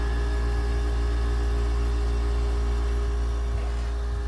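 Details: Goldstar 5,050 BTU window air conditioner, model WG5004: steady, even low hum with a few constant tones and no knocking or rattling as the compressor runs normally, blowing cold air.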